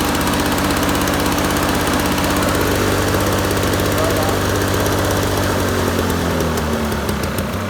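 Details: Toro two-stroke push mower, roadside find with Mikuni carb, not self-propelled: steady, fast buzzing beat holding even without stumbling, easing down slightly at the end; healthy running.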